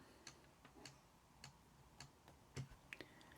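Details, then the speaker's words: Sony MZ-N900 portable MiniDisc player: small sharp clicks repeat about every 0.6 seconds as the mechanism tries and fails, optical head not retracting all the way; player then reports low battery, batteries suspected worn out. "head is not retracting all the way all right I can hear it clicking away but nothing's happening"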